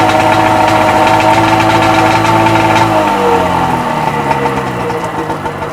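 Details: Freshly rebuilt Sea-Doo XP 720 two-stroke, driveway run on flush hose, pump disconnected: even burble at steady idle settling slightly lower partway, smooth, no knocking; purring along, normal idle.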